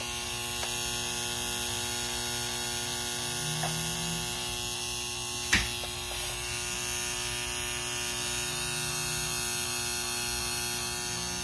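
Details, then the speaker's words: Rain Bird sprinkler controller plugged into mains: steady high ringing buzz with low hum underneath after power-up, display still works but reset unresponsive; abnormal ringing hum, source unconfirmed. "so I plugged it in it's making this ringing sound I know if you guys could hear that"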